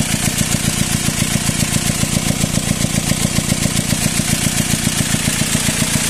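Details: Four-cylinder engine swapped in for the original six, rough and loud since being removed and refitted: hard even chuffing pulses, almost four a second, from the intake at idle. Owner suspects air in the hoses despite replacing them; cause unconfirmed.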